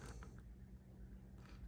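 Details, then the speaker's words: AirPods Pro charging case bought the day before: short creaky squeaks as the lid is moved, caused by imprecisely cut vertical hinge parts leaving too much gap; squeaking lid hinge. "and they were making these terrible sound squeaking sound when you move this and it was caused by the fact that this one here and this one the vertical ones um they are not precisely cut"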